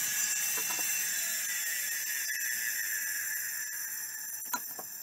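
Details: Miniscribe hard drive, after adjusting track zero and pulling the heads to the inside track; still stiff. A high, scratchy hiss with irregular seek ticks about four a second, from a massive head crash; it spins and seeks but probably won't fully initialize.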